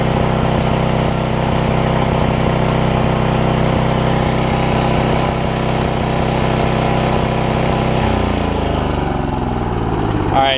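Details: Porter Cable generator, Briggs OHV, after bent pushrod replacement and governor fix (throttle had stuck wide open); after almost 20 minutes it holds a steady governed beat for eight seconds, then shuts off and winds down evenly — normal governed run.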